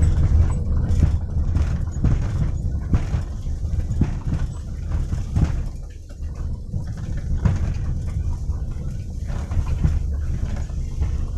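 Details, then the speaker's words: Toyota Avanza/Daihatsu Xenia rear suspension driving over potholed rough road: dull gluduk-gluduk thuds knocking from the rear on each pothole over low road rumble; suspected worn rear rubber bushings. "tuh dari ketika melewati jalan berlubang-lubang seperti ini teman-teman bunyi gluduk-gluduk kayak bentuk bebsy bentuk dog dog dog dog itu bagian belakang Xenia Avanza ini"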